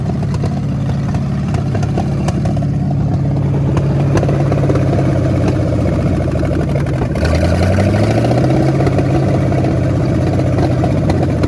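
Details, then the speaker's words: 1973 Ford Mustang Mach 1 fastback revived after decades in a junkyard: engine settles at a high, slightly unsteady fast idle, then climbs on a blip; owners suspect an internal carburetor leak, running better with each start. "It just starts idling a so little fast high. too."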